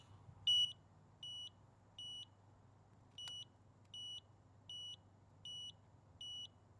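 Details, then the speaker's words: Pride PX4 outdoor mobility scooter controller put into freewheel (neutral) mode gives high, steady beeps in repeating groups of five, a status code, not a fault; scooter had seized front disc brakes tripping the circuit breaker. "Put this into free will. I should get 5 beeps out of this thing. This is like putting your unit in neutral."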